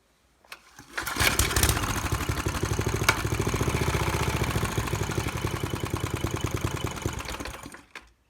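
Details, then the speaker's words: Maxim mini tiller from the dump: primed through the carburetor, catches after a few pulls, chugs unevenly about seven seconds then dies; owner suspects fuel starvation needing a carb rebuild. "so really seems like it's got fuel starvation issues so that's just the carb rebuild away"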